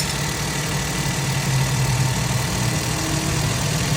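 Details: 2012 Suzuki Alto that had hard cold starts and a cylinder 1 misfire (P0301), cold start after tappet adjustment fixed a jammed tappet: smooth, steady low idle with no skips, no codes, running normally.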